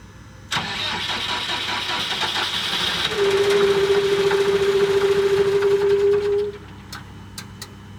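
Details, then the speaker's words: Cat D3K2 dozer after dash warning light, tank freshly filled, no leaks: cranks and catches but idles unevenly with a whining tone, then dies; hard starting and rough running, cause unconfirmed, CAN data link codes present. "Well, it doesn't even want to run."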